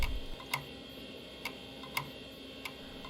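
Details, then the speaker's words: Mid-1990s PC with an AMD DX4 100 MHz CPU and a Seagate hard drive: it seems to work at first, then gives sharp isolated ticks every half to one second over a faint hum. Failing hard drive clicking. "I can tell from the sound of the hard drive that this is a Seagate, and initially it seems to work fine, but then, you know, this sound really isn't good."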